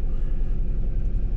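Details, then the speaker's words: 2001 Toyota RAV4 2.0L 4-cylinder with blinking check engine light and no acceleration: rough, lumpy idle with uneven pulses and dropouts; misfire followed a swapped coil to cylinder 2, confirming a bad coil pack; all four coils to be replaced. "so that means that we got a really bad coil pack and uh we're going to replace all four of them because they're actually pretty affordable and cheap"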